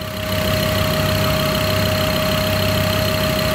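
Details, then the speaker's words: Freshly rebuilt diesel engine at first start after bleeding the injectors, microphone near the engine: steady idle with fast, light tique-tique ticking from the injectors, normal for this engine. "Deixa eu colocar o microfone perto do motor. Tá vendo esse barulhinho? Tique, tique, tique, tique, tique"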